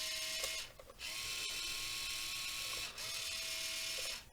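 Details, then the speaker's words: 1:28 scale Rui Chang QY2302 RC wheel loader, a cheap toy possibly damaged in shipping: steering motor gives bursts of thin high-pitched whirring for a second or two but the wheels don't steer; owner unsure why, likely stripped inside. "so our steering is making the noise but it's not it seems to be slightly polished so i don't know they assumed it was just totally broke"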